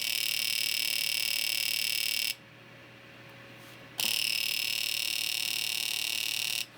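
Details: Fuel injector pulsed by a handheld injector tester after the tester's trace repair and reassembly; fast, even high pulsing buzz about four times a second that starts and stops cleanly. Normal fuel injector clicking.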